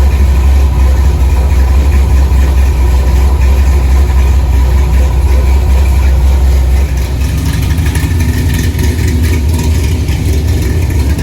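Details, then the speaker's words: 1964 Chevy II Gasser, LS V8 swap with Holley Terminator X, after cooling system filled; deep steady idle set at 950 rpm (owner wants about 800), even burble, no miss or knock; normal idle. "It's actually idling, so I'm just gonna leave it alone. I set it at 950. I'd like to hear it about 800. It runs. Got a pretty good sound to it."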